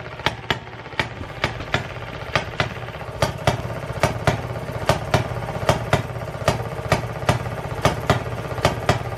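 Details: 1920s Maytag two-stroke hit-and-miss washing machine engine, reportedly rebuilt, first run in over five years after cleaning the points. Sharp single pops about once a second, first firing every revolution then flipping to hit-and-miss over a light patter. Runs well.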